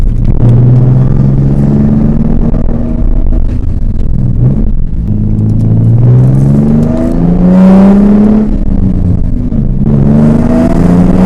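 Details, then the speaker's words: 2003 Nissan 350Z, 3.5 V6 naturally aspirated, with the CD001 transmission, while driving: short rough gritty grinding bursts at the shifts into third gear. Notorious third gear synchro grind. Third gear synchro grind. "So I don't know if that little drive, you heard the grinding of third gear. That's the infamous synchro grind."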